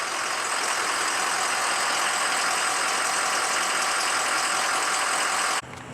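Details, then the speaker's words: Diesel pickup after high pressure pump failure and near rebuild (piston replaced, O-ringed heads, ARP studs), most air purged from system, fired right off: warm, steady even idle with no knock or miss; normal idle. "as you can tell that sounded a lot different now i got most the air out of system fired right off"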